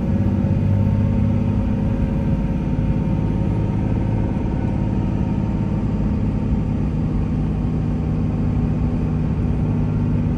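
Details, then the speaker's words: 2003 Dodge Ram 2500 with 5.9 Cummins diesel, 85k miles, automatic, driven uphill through all gears: a deep steady diesel drone pulls evenly with no knocks or rattles. Healthy engine under load. "we'll take off and we'll head up the hill so we can hear the 5 9 run as well as put the automatic transmission through all the gears so you can hear for yourself there's no issues with anything on this truck at all"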